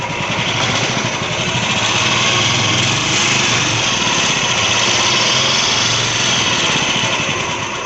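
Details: Royal Enfield UCE Electra single-cylinder idling with an uneven metallic rattle on the beat, about four a second; internal engine noise, teardown shows very low oil pressure and piston play in the block.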